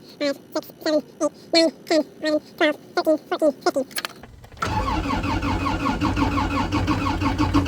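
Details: New Holland tractor with Kubota diesel, 3,600 hours, at 16°F after 15 seconds of glow plugs, throttle set: slow, labored cranking about three turns a second, then fires into rough, uneven clatter; hard cold start.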